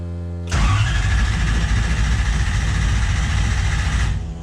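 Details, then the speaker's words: Ford Falcon with a Toyota 1UZ V8 swap, first start attempt in neutral. Starter churns unevenly about three and a half turns a second with no firing because the fuel tank is empty: cranks but won't start. "Actually, you know what? There is no fuel in the tank. We need to put some gas in."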